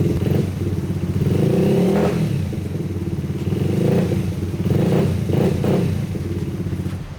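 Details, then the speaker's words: Rebuilt Honda XR80 single-cylinder dirt bike, first start after refilling with Shell Rotella T4 15W-40 oil, cam chain tensioner not yet set: picks up and settles with each throttle blip, firing cleanly, no knocks or clatter; normal running. "So she fired up second kick, which I wasn't really expecting. Seems to run pretty good, but before I get too carried away, I need to set the cam chain tensioner."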